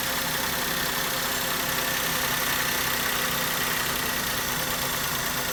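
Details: Maruti Suzuki K-series car engine after coil and spark plug work for a misfire: steady, even idle with no stumble or skipped beats; runs smoothly and sounds healthy.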